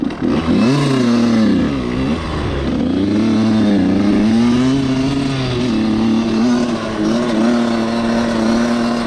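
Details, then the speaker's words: Suzuki RM85 two-stroke dirt bike after wheelie attempts: the note sags and wavers, pitch dipping and recovering under throttle instead of climbing cleanly, so it bogs; the owner suspects the carb, but this is unconfirmed. "It was kind of bogging, but I think as I kind of ran it a little harder in the first gears, probably burnt that gas out, but I think it's good."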